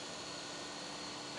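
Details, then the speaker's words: Fuel-injected car with the coolant temperature sensor deliberately unplugged as a demo: steady airy rush with faint even hum never cycling off; radiator fan runs full time, engine vibration also increased. "Start ആയി കഴിയുമ്പോഴത്തേക്ക് ഈ line ഞാനിപ്പോ ഊരി ഇട്ട സ്ഥിതിക്ക് ഈ fan full time അങ്ങോട്ട് work ആണ് കണ്ടോ"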